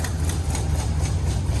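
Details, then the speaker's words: Classic International 150 pickup V8 in a cold shop: deep, lumpy idle with one cylinder dropping out, a misfire; after it cleared, all eight cylinders fired and it ran well. "smoking out the shop a little bit sounds like we're down to cylinder"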